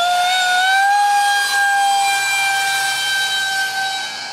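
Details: Su-35 RC jet with twin EDFs, 5-blade rotors, 2600kv motors on 6S: piercing, steady whistle-like screech with slight pitch rise; cheap shaft adapters and mounting pads detached by vibration cause the vibration.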